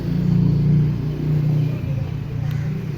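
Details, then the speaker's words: Fascino BS6 scooter with dead self-start: after replacing the faulty starter switch, steady starter whirr cranking the engine without catching; self-start now works. "Okay ആണ് self work ചെയ്തു self work ചെയ്യുന്നുണ്ട് അങ്ങനെ switch complaint ആയതുകൊണ്ടാണ് self work ചെയ്യാത്തത്"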